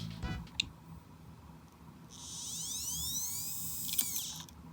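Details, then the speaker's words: Dead iPod hard drive, powered via FireWire with cover open: thin whine climbs as platter spins up with sharp clicks, then spins down; failed spin-up from damaged head. "Oh, there it goes. It notices something is wrong and immediately spins down."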